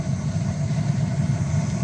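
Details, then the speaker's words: Steam boiler gas burner after the wrongly condemned gas valve was reinstalled and spider webs and nests were cleared from all four orifices, set at about 3 inches water column: a steady, low, even roar with no sputter; it fires very nicely. "And as I think you can hear, this unit is firing off very nicely."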